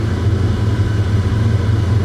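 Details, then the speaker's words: Heavily modified engine just fitted with an American Muscle BAMA SCT Eliminator tuning chip. Smooth, steady idle drone sitting about 400–500 rpm higher than its usual idle of around 1000 rpm; high idle after the chip install. "the chip is idling about four to five hundred rpms higher than it usually does"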